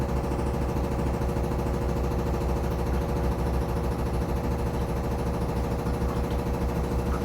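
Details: Samsung Flexwash upper washer on the Delicates cycle, spin: constant heavy droning hum with fast regular thumping about three a second; machine shaking hard, banging source unknown, not hitting the dryer, about an inch of clearance.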